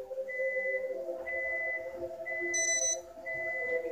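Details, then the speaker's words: PS4 VR processor box beeping high and steady about once a second while repeatedly turning itself and the PlayStation on and off, ongoing since a new update despite unplugging and swapping cables. "just keeps beeping beeping defense about to probably turn off so even if the PlayStation is off it turns the PlayStation back on itself just to do this"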